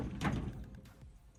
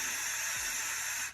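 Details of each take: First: 1972 Chevy K10 4x4, 350 V8, single-pumper carburetor, sitting 20+ years, fuel pressure good: catches in uneven bursts, surging and dying, not wanting to idle, acting over-fuelled; carburettor over-fuelling suspected. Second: Carburetor needle valve on a 1972 Chevy K10 4x4 with a 350, being tested for over-fuelling by blowing air through it in the down position; strong, steady rush of air; free airflow through the open needle valve.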